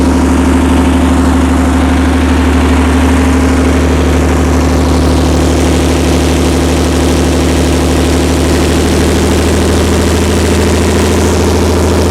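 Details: Perkins 354-series diesel on a 45 kW Empire generator after injection pump reinstall: even low beat holding constant no-load speed around 61.3 Hz, no stumble or knock, no major fuel leaks; normal no-load running.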